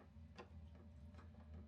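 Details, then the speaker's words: Hcalory SS2 diesel heater after modding with a better replacement fuel pump, pump dampener, sound deadening and upgraded exhaust muffler: soft, even ticks about once a second over a low steady fan hum; dosing pump clicking normally. "now you hear it right now and you can hear the fuel pump but it's"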